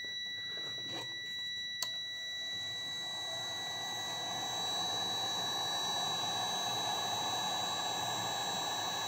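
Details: Steady high continuity beep from a multimeter on a battery BMS NTC temperature switch at about 28 degrees: switch still closed and conducting, normal, during a heat test to find its cut-off temperature.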